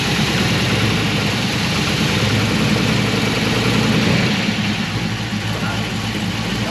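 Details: LS-swapped 1964 Impala SS with 4L80E automatic, first start in about 12 months, owner reports major wiring issues; loud, uneven idle with wavering beat, struggling to keep running; cause unknown.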